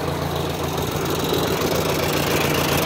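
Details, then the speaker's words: 1959 Ford 631 Workmaster tractor, with new coil and recently new crankshaft and bearings: low steady idle with an even pulse and no knocks or misses; runs smoothly and healthy. "but it runs uh runs pretty nice i'll start it up for you stacy runs like attack"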